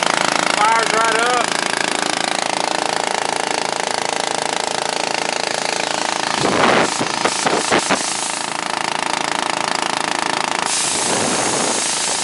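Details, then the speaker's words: 2001 Ford F450 with a big cast-iron twin-cylinder air compressor pump: fast, even pumping at about 3.5 beats per second with air hissing and bleeding back down over it. The compressor is running normally. "you hear the air bleeding back down though"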